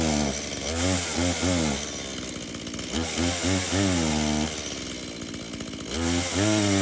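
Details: Stihl MS170 chainsaw, reported as a no-start, bought 13 months earlier and apparently unused; run on its original fuel with a full bar oil tank, outdoors. Crisp revs rise and fall with clean throttle response and no bogging: it starts, runs and oils normally.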